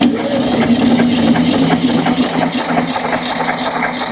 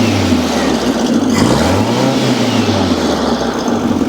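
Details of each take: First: VW Beetle air-cooled engine, leaking and smoking, compression test before a planned reseal: steady starter cranking with an even chug about three beats a second, then stops; one cylinder reads 90 psi, borderline low compression. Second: Air-cooled VW Beetle flat-four at operating temperature, smoking heavily before a compression test: a raised, steady idle with a slight rise and fall in pitch, because it is running on the fast idle cam.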